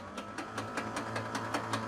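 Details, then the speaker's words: Museum airplane engine that sat about 20 years, spark plugs all removed, starter cranking with no load: steady whir with even light pulses and no compression bite, engine spinning over freely. "oh yeah that's spinning around all right and you let it run for 10 20 seconds because there's no load on it"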